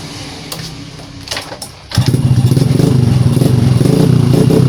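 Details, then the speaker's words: Honda Prima old motorcycle that was hard to start due to a weak CDI, after replacing the CDI: single kick starts it immediately and it settles to a steady even idle. Normal one-kick start. "Oke ya, untuk hidupnya normal dan sekali engkol ini langsung hidup."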